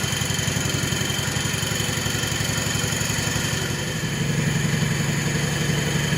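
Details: 1970 140 H3 engine running after rebuild work with two-stroke fuel in it: steady, rough beat near four per second, with a duller note joining after four seconds. Owner guesses a rear bearing; cause unknown.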